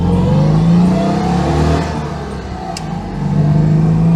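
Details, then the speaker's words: Citroen 2CV with newly fitted replacement engine, on-board on the road: smooth, even drone climbing and easing with throttle, a bit of induction roar, no knocks or misses; healthy, much quieter than the old engine. "Lovely little engine. Bit of induction roar. Yeah, lovely."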